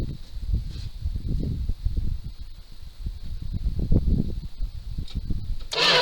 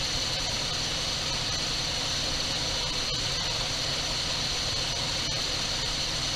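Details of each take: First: 1978 Dodge D200 crew cab with 318 V8, abandoned 17 years, cranking on a replacement starter: slow, uneven churning that never fires; no spark at the plugs, owner suspects the ignition box. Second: 1978 Dodge D200 crew cab 318 V8, abandoned 17 years, said to have a broken crankshaft: after first start on dribbled gas it idles steady and even with no knocks, ticks or hesitation, running like a top.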